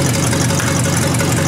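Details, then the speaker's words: 1953 Hemi V8 restarted after flushing dirty oil and fitting a bigger, clean oil line, old mechanical fuel pump audible: steady, even low rumble with a smooth regular beat, no knocks or misses; healthy idle. "It'll be alright. Yeah. Really good, I think. Don't get no better than that, does it?"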